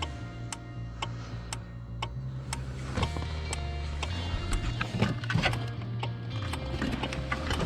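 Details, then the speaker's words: 2002 Cadillac Escalade barn find, sat five years, battery connected: crisp, even relay clicking about twice a second; relay inside aftermarket Clifford Matrix RS 3.5 alarm chattering. "we got this thing clifford matrix rs 3.5 it's got a relay of some kind in it that's what's clicking"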